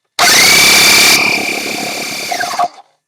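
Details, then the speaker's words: Very old Sears air pump after resealing the spigot with a flattened seal and an O-ring, aimed at reaching 30 psi: steady high whine for about two seconds, then sags and stops; builds pressure, maybe a small leak. "oh yeah that's that's doing it there might be a little bit of a leak here now at this point but it's certainly enough to hold the pressure here for uh for blowing up tires"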